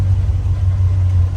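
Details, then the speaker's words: 1966 Ford F100 with 390 FE big-block V8, Holley four-barrel carburetor, C6 automatic: deep, steady low rumble with even, unbroken beat, no knocks or misses; normal idle. "Um the engine runs good. fires right up. I'm going to show you that here in a second. It's running um as all good country trucks do."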